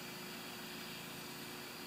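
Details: Neighbour's rotary raker heard from a distance out in the alley: steady, even engine drone with no misses or knocks; running normally.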